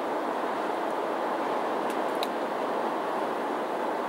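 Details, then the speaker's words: 2007 GMC Yukon Denali AWD, 6.2L Vortec V8, about 175,000 original miles, cabin at highway speed: soft, even road hiss with no wind noise, shimmies, shakes or vibrations; normal quiet highway cabin noise. "how quiet it is inside this yukon denali absolutely no wind noise no shimmies no shakes no vibrations"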